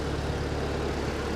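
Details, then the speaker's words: Ford 8N tractor with a flathead engine, previously cutting out and popping badly, now idles low and even with a steady beat and no popping or misfire, purring like a kitten, so it runs smoothly and healthily. "It's not popping anymore. She sounds really good. Idling. Purring like a kitten. Yeah, she sounds good."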